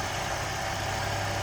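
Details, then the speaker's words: 1993 Ford Mustang LX convertible, 2.3-liter four-cylinder, hood open; steady even idle with smooth low hum, no knocks or misses; runs smooth and healthy. "The age and as clean and good a shape as that is in. Very telltale sign. There you go, 2.3 liter, smooth run, good"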